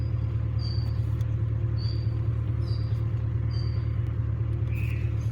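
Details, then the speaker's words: 2000 Ford Mustang 4.6 coil-on-plug V8 idling with cooling fan on after fixing a no-code misfire that shook at idle and stops, cylinder 3 suspected; steady even rumble, all cylinders firing normally. "no lo alcanzan tal vez escuchar pero el carro está trabajando súper bien amigos súper bien"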